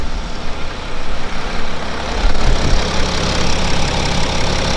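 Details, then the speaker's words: BMW X5 F15 with replacement second-hand N57D30 313 HP diesel (original failed at 270,000 km from spun main and rod bearings), started almost cold: steady low idle, even clatter, no knock or misfire; runs smooth, only NOx sensor fault code. "I think the only F that we get the car is running smooth it's accelerating good"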